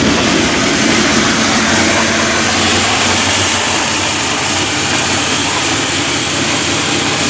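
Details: Fresh supercharged 408W stroker V8 on its first start-up, recorded from inside the car: loud steady roar with hissing blower whine on top, even, no knocks or rattles; sounds healthy.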